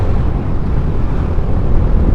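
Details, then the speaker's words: Honda CS1 motorcycle idling while parked: deep, loud, uneven low rumble that shakes the whole bike with no clear knock; rough idle vibration, though the engine runs smoothly at high rpm once riding. "nah yang disayangkan nih minusnya mesinnya pada pasar kedengeran banget ya getarannya"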